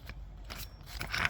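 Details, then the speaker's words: 2007 Honda Odyssey Touring 3.5 belt tensioner assembly, removed and its pulley turned by hand, with a dry, scratchy metallic rasp and uneven clicks: worn pulley bearing, assembly being replaced. "can hear the bearing. Right there, you can hear it. That's garbage."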